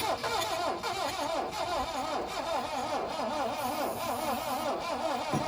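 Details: 1972 Plymouth Cricket (Hillman Avenger) that has sat since 1989, battery sitting six months, with starting spray applied: slow, uneven, wavering cranking that tries to fire without catching. Weak battery suspected; it shows enough compression to fire.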